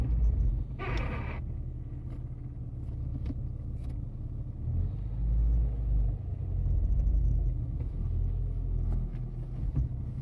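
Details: S15 with a new Exedy clutch kit, including throw-out bearing and spigot bush, driven 50 miles then stored. Idling, a brief raspy burst comes when the clutch is pressed, in neutral or gear; owner suspects the throw-out bearing or gearbox.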